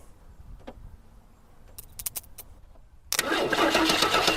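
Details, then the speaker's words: 1976 AMC Pacer, likely original engine, first start in 20 years with gas poured in carburetor: loud rough steady starter churn that never catches; spark being checked; cranks but no start. "come on that's good uh let's see if we have to check if we're getting fire get a little bit more gas ready"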